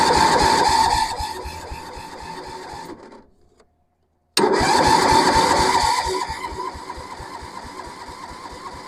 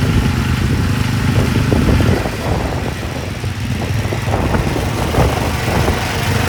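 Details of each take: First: Massey Ferguson 7 lawn mower, estate auction buy sitting many years, cranking with fuel on: steady starter bursts about three turns a second, no catch or firing; lean carb mixture, crank no start. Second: Massey Ferguson 7 lawn mower, long-sitting, running after carb mixture adjustment, driving with microphone off; owner thinks it needs piston rings: steady low single-cylinder putter under load, no misses; normal running.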